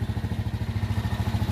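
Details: Itálica Z150 single-cylinder motorcycle after repair of a transmission gear bushing, engine reinstalled, idling in neutral: firm, even putter of about eight beats a second, no knocks or rattles; healthy.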